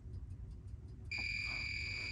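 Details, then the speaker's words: Continuity test on an EFI EZGO golf cart that won't fire: meter probes on the orange wire from coil plug to ECU plug give a clean steady beep about a second; direct wire with good continuity end to end. "so that is a constant from there to there straight there all right there is no in between switch or horn or nothing like that it's straight it's straight there straight there from the ECU"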